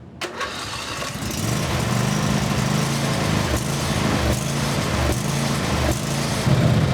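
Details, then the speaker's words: Briggs and Stratton 24HP V-twin lawnmower engine: cranks and catches, then speed rises and dips unevenly every second instead of settling; surging, suspected debris in the carburetor. "yeah I'd say it's not running too good I suspect there's some trash in the carburetor"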